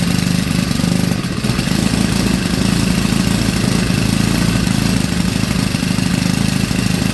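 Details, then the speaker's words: Craftsman WS 4200 30cc four-stroke weed eater with new replacement carburetor, mixture screw set two and a half turns out; steady even buzz, no surging or misfire, runs much better than before when it bogged on throttle; normal running. "it actually runs a lot better than it did before when I would get it to start because when I would get it to start before even when I hit the gas it would bog out"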